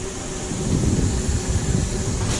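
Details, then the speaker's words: MAN truck with brakes pressed: steady, loud air hiss over the engine rumble from the rear brake chamber leaking heavily under braking. "so as you can hear that's leaking quite heavily when we're breaking"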